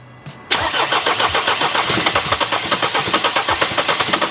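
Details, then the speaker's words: 2016 Mercedes CLS with the 651 diesel engine, towed in: starter cranks in a quick, even rhythm, about four turns a second, almost catching but never firing. Crank no-start on an engine described as already dead. "네, 이렇게 걸리듯 하면서 시동이 안 걸립니다."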